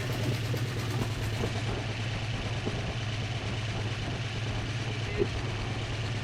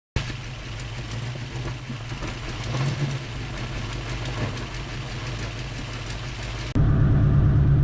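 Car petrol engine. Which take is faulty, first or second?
second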